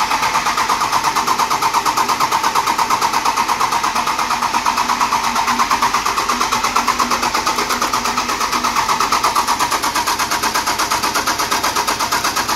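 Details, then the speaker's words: 12-valve Cummins dually, freshly installed mechanical fuel pump, quarter tank: even starter cranking about three turns a second that never catches; overflow valve thought unsuited to stock pump, replacing it with original made it fire right up. "I think it was the overflow valve too I guess they're not made for a stock pump that's what he said"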